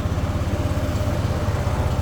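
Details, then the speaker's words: Motorcycle that would not start in the morning (battery at 12.18V, dropping to 9.8V while cranking), just after fitting a new 12.69V battery: starts on first press and settles into a steady, even single-cylinder putt, no misses or knocks; normal idle. "Paandarin na natin to mga pre. Hopefully one click lang to. Yun oh."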